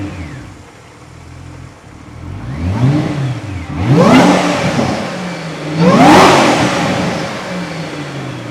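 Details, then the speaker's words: Ford GT after the real fix, first start: two sharp revs, each bringing a clear supercharger whine that climbs and falls with engine speed. This is a normal blower sound. "Let me get some supercharger. Yeah. And right here is where you hear the supercharger."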